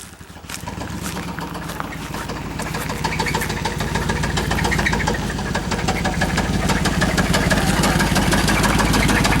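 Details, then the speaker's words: Chevrolet Suburban engine at idle, spark plug wires and plugs already replaced: sharp, regular ticking knocks about three a second over a low rumble with a faint squeak riding along; engine knock and squeak, source not yet found. "all right we have this problem with the Suburban that uh it knocks and squeaks out of the way Emma so we're going to take a look at it let see if we can determine what the noise is from"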